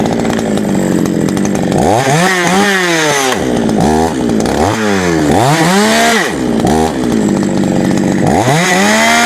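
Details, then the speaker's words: GOODLUCK 45M Chinese chainsaw after a small repair and chain oil supply check: starts clean and revs up and down repeatedly, pitch rising and falling smoothly with no misfire or stumble; normal running. "Сейчас оно все прочистится и будет у нас все работать. Итак, напоследок заводим, проверяем."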